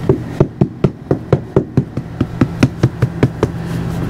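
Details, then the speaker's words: 2014 Itasca Sunova 30A motorhome, knocking on the wall at the forward end of the passenger slide-out, which shows considerable movement. Quick dull taps sound soft and deadened. Soft hollow sound on wall. "there's some to meet some considerable movement in hear how soft that sounds whereas"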